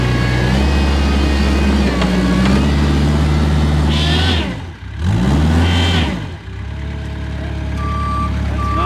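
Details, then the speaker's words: Kubota 520 hydrostatic wheel loader that won't reverse up steep hills. With the relief valves swapped, the engine bogs hard twice with a sagging note and strained whine. Forward now hits relief and the wheels don't spin, pointing to a faulty reverse relief valve. "So, you could hear it hit relief and forward now. And because I swapped the reverse relief in the forward circuit, now forward is hitting relief and the wheels aren't spinning."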